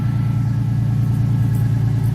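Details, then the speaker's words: 1996 Ford Mustang on newly installed dual exhaust from a 1997, just after oil change: deep, even idle rumble with steady pulse, no misses or rattles; clean, healthy idle. "All right, let's see what she sounds like. Disorder. Yeah. Sounds really good,"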